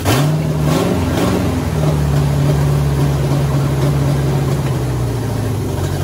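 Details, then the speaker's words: 1967 Pontiac Firebird, newly installed 1977 Pontiac 350 V8 after fuel line fix: deep, steady rumble that catches and holds without stumbling; running properly, some vacuum leaks remain. "so well guys we did it we got the uh pontiac motor in the 67 firebird and it's running"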